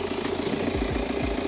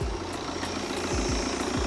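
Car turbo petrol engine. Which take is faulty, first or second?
second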